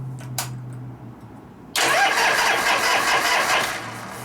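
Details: 1973 Harley-Davidson FX 74ci Shovelhead after a frame swap: quiet at first, then the starter spins the V-twin loudly with an uneven churn, but it never catches. The plugs came out wet afterwards; cause not confirmed.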